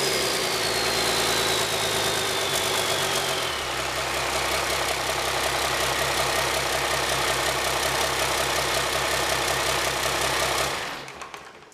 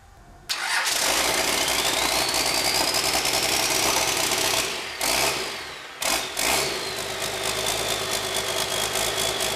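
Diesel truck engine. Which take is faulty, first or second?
second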